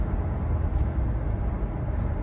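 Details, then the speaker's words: 2015 Toyota Venza 2.7L 4-cylinder AWD test drive at highway speed after replacing the left rear hub assembly: steady low road rumble, no hum or howl rising with speed; the vehicle is nice and quiet, wheel bearing healthy. "I came back from my ride test drive the wheel didn't fall off the sound is gone the vehicle performs very good nice and quiet"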